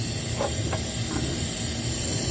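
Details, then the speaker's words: 2016 Land Rover Discovery Sport 2.0L turbo petrol during a cylinder leak-down test: steady airy hiss of air escaping past the intake valve at the second port, suspected carbon buildup rather than bent valves, during VVT actuator and timing repair. "there you go see a little bit there you can hear the air hissing out mainly this one right here the second port"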